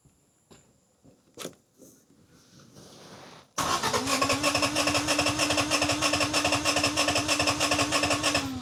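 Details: 1987 Honda CRX Si, first start after timing belt install and swapping the rusted, water-damaged ECU for a new one: cranking, then a fast, slightly uneven, lumpy idle; cylinder 1 still has a problem, so rough running after start.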